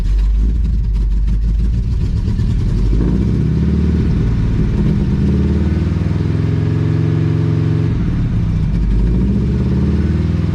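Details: 1980 Chevrolet Cutlass V8 scrapyard car, possibly sitting since 2018: heavy low rumble as it cranks, briefly catches, stumbles and dies; likely fuel starvation, suspected fuel pump or bad old gas.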